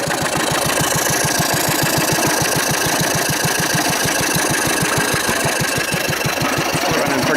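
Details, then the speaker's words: 1940s Wolseley engine, first run in over four years, flat-belt driving a cement mixer: even firing beat about five a second, steady with no knock, running a bit fast; normal running. "pretty good gouging in here then pretty much on on the edge I'm happy with that's running a bit fast"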